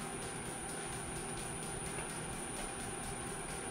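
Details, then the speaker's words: Cheap induction plate boiling a pot at high setting (above 5): thin steady high-pitched coil whine over the rushing hiss of heating water. "Where earlier it was doing a coil whine, I was trying to catch it."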